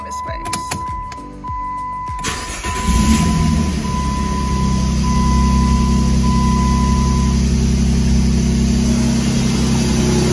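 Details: 2006 Jeep Grand Cherokee 3.7L V6, just after installing new Denso Platinum TT spark plugs and ignition coils: after a brief crank it catches and settles into a smooth, even idle with no miss.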